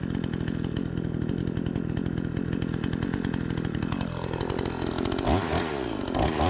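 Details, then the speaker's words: Repaired Remington 46cc two-stroke chainsaw with sharp chain cutting wood: high, steady scream holds speed into the cut, bogs slightly and recovers; strong and responsive, normal running under cutting load. "what do you guys think we got a pretty good runner here P's nice and sharp got a huge pile of [Music] chips seems like it's running nice and strong and [Music] responsive"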